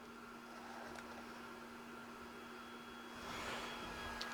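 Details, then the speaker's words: Used Flashforge Adventurer 5M Pro powered up without a hot end fitted. A cooling fan hums at a steady pitch, and the printer reports the hot end at 230° even though it is absent. "but you would think that it would complain that it doesn't have a hot end you can hear that the Phan has started up"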